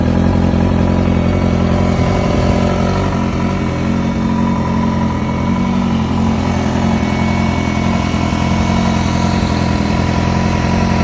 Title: Weird rattle noise sounds like it’s right under the air box new motor just put in